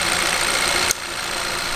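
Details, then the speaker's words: 2013 Kia Pro_ceed GT, warm idle with no misfire now; strong steady hiss of air blowing from the open oil filler, suggesting heavy blow-by; owner fears low compression needing an engine rebuild, compression test pending. "if I come over to the engine and undo the oil cap it is blowing quite"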